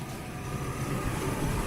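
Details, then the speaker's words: Insurance-auction project car, cut and spliced wiring at the coil: steady, even low rumble with no knocks, misses or whine; engine runs smoothly, normal running. "but I mean all in all though don't it runs it seems to run really good"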